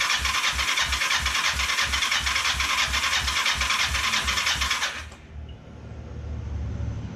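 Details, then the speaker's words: Kawasaki Ninja 500 with spark and compression, choke on, leaky fuel setup: starter whirs steadily about three compression beats a second for five seconds, never firing; cranks, no start, suspected fuel starvation. "It's not making any attempt to start."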